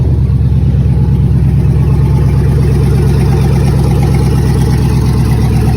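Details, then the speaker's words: 2009 Chevrolet Express van, 96,002 miles on odometer, started right up, idling: loud raspy puffing over steady idle throb; suspected exhaust leak or catalytic converter issue, exact spot unconfirmed. "Over here on the next lot, that's the one you can hear once again with another exhaust or catalytic converter issue."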